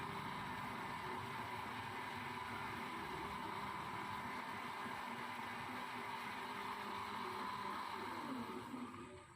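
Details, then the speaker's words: Philips blender after replacing the worn spindle to fix leaking, tested with water: steady, high motor whine at one even pitch, no rattles or grinding, no leak; running normally. "berarti pusing suaranya jonder suaranya halus Hai ini tidak bocor yang tidak netes diblendernya juga kering tidak ada kelihatan air yang netes"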